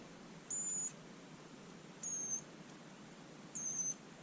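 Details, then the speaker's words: Bosch Ixo cordless screwdriver motor, powered by shorting switch terminals: thin, very high squeal in short bursts about every second and a half with no spin; motor squeals but won't turn. "I don't know if you can hear that on there but I can hear a squealing noise"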